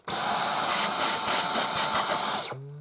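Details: Dyson Cyclone V10 Total Clean cordless vacuum, brand new, low charge, on low setting: high, steady whir holding an even pitch, then a clean wind-down at switch-off; normal running.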